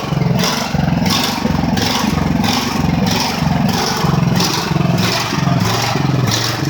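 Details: Ridgid generator with Honda GX390 engine, first start after months idle following repairs but not fully fixed: speed surges up and down about 1.5 times a second instead of holding steady. The engine is hunting.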